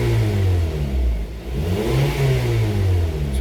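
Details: 2010 Honda CR-V with P0171 lean code and EVAP purge valve found stuck open, check engine light off: engine pulls up and settles smoothly through throttle rises with no hesitation; purge command drops to zero on acceleration.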